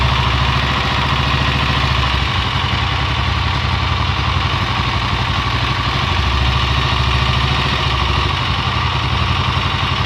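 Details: Honda XLR single-cylinder at idle: steady low thump with a light mechanical clatter over it; abnormal engine noise, source not pinned down.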